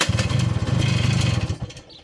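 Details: 1981 Yamaha YT-125 two-stroke, leaking oil badly with seals due for replacement, having just run earlier: it pops and buzzes unevenly for about a second and a half, then fades out and dies. The engine stalls after starting and won't hold an idle.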